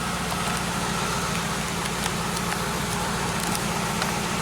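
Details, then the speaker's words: Chevelle oil pressure warning light circuit check after fixing a light that never came on. Engine started to a normal idle, even and steady with a smooth low rumble and no ticking or knocking. Oil pressure opens the switch and the warning light goes out, as designed. "start it up all pressure light goes out the oil pressure is overcoming the oil pressure switch keeping it open that's the way the circuit's supposed to work"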